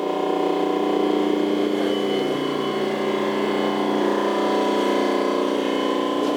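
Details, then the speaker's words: Rotary phase converter after a refurbishment, idler motor cables reconnected; formerly very noisy with an annoying pitch: steady, even motor hum at constant pitch, no knocking, rocking or rattling; much quieter than before; normal running. "I got a say it's a lot quieter than it was in the past it was really annoying"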